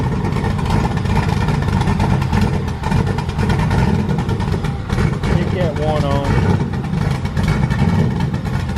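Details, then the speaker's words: Ford Crown Victoria freshly built V8 with cams and heads, just started: deep, steady idle with an even beat and no knocks or ticks; 90 psi oil pressure, no leaks, sounds good. "Got oil pressure? 90 pounds. Hell yeah. Sounds good. No leaks."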